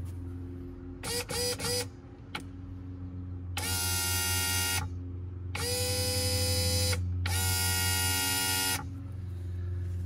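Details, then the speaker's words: Volvo Penta SX-A power trim/tilt pump after reconnecting the wires, tested low on fluid before refilling. Short bursts of even, steady electric whine about a second each, no grinding; pump runs and cylinder moves. "yes it is running and I'll show you the cylinder is moving"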